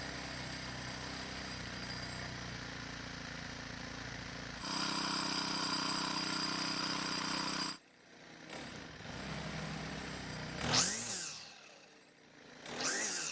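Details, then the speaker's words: Four-stroke string trimmer, model 41EDT57C966, after repair of a hard cold start: a new part with stiffer plastic lets the flap seal better, plus a slight idle speed adjustment. It runs at an even steady speed, revs up cleanly and drops back smoothly. Normal running. "so as you just saw aside from a slight idle speed adjustment this trimmer now starts and runs just like it should"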